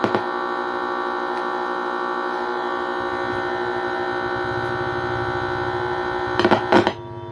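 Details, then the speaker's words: Home theater amplifier switched on with its internal ground wire not connected: a steady low electrical hum with a buzzy edge, unchanging in level, from the speaker; connecting the ground stops the sound, and the Bluetooth panel is to be replaced. "But इसके अंदर से कुछ humming की जैसे noise ए रहा है कुछ ना क्योंकि इसके अंदर हमें जो ग्राउंड है वो हम कनेक्शन नहीं किया"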